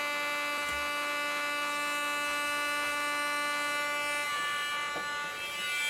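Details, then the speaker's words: 2019 Acer Predator Helios 300 PH315 laptop: constant high buzzing whine with a rough edge, never changing pitch, plus a burning smell; failing AeroBlade cooling fan, replaced. "that is a gnarly noise"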